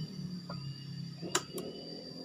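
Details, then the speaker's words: Honda Beat fuel-injected motorcycle at key-on: two sharp relay clicks but no fuel pump hum; pump only hums after about 30 seconds on; traced to a poor ECU ground (ground wire) for the fuel pump. "Relaynya bunyi cetik, tapi full pumpnya ini tidak mendengung. Coba dengarkan ya."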